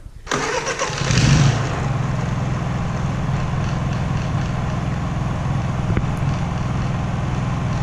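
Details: Honda EU3000is inverter generator, checked over and oil changed, started with fuel on and choke, Eco mode on, microphone right next to it: catches quickly after a brief crank, then a steady, even low hum with no misses or knocks; normal start and idle.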